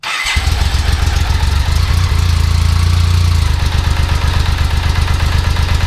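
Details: 1995 BMW K75RT after sitting 8–9 years, cold start with choke on, not warmed up, just after replacing cracked Z intake pipe: lumpy, uneven low idle with irregular pulses; still rough, new pipe made no difference, cause not yet found.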